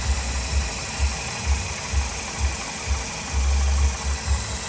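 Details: 2007 Nissan Sentra 2.0 idling after front crankshaft seal replacement, crank pulley bolt refitted; steady low idle with soft, even pulses and no knocks, ticks or squeals; no leaks seen.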